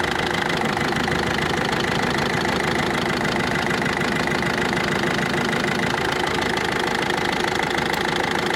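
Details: Ford Focus 2 1.6 diesel at idle: sharp, fairly regular knock about three times a second over the clatter, first from below then heard on top; cause unknown, owner suspects a pulley or tensioner roller.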